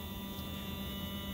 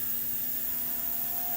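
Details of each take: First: Athearn Genesis MP15 model locomotive motor at 12 V after running a while in both directions, clamped in its cradle on the bench, drawing about 0.0975 A: light, even whir, steady hum, no rasp; sounds way smoother than before. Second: Mashima motor for an Athearn Genesis MP15 rebuild, run with voltage raised toward 12 V drawing 0.06 A: steady high whir with thin whistle rising slightly in pitch; the motor gets loud near 12 V.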